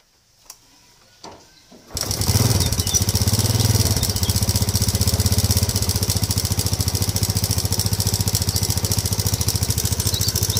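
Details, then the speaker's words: Modenas GT128 motorcycle idling with a fast, steady top-end clatter like a slack timing chain, returning less than a month after the timing chain was replaced with a new one; cause still unknown. "persoalannya kenapa dia ndak sampai sebulan bunyi bising lagi seolah-olah rantai tuh kendur sedangkan rantai itu ataupun Taemin sudah tukar baru kenapa dia masih bunyi ya"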